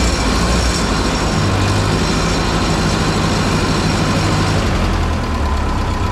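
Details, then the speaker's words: 1951 Ferguson TO-30 tractor with cleaned original spark plugs, intake okay: low even steady idle rumble, no misses or knocks; runs like a champ after fuel, air and spark troubleshooting. "uh we cleaned up the stock ones that have been in there for who knows how long and she runs like a champ so let's give you a little start i kind of explained all that the intake's okay everything's happy that's the way it ought to be"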